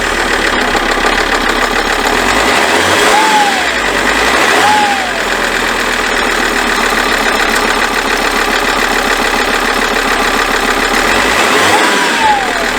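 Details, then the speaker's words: Alfa Romeo, restarted after a failed crank following a week of sitting; steady even idle with no knocks or misfires: normal idle. "So, it started, it's all fine, isn't that good? It was no problem at all."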